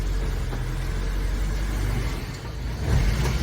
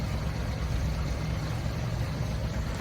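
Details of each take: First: Truck started cold after 24 hours of curing an exhaust leak seal, about 80°F outside: brief throttle blip then low steady idle, no puffing or ticking at the exhaust joint; leak apparently sealed. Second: Truck started cold, about 80°F outside, after 24 hours of curing an exhaust leak seal: deep even low rumble with slow lazy pulses, exhaust a little quieter; idle really low when cold but running steadily.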